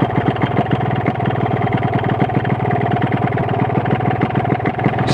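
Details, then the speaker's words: Motorcycle idle with rapid, even metallic clatter about ten knocks a second: combined noise of the reed valve membrane, a slightly loose piston and a wobbly connecting rod; piston slap. "jadi perpaduan suara suara membran suara seer yang agak longgar Setang Seher yang agak goyang"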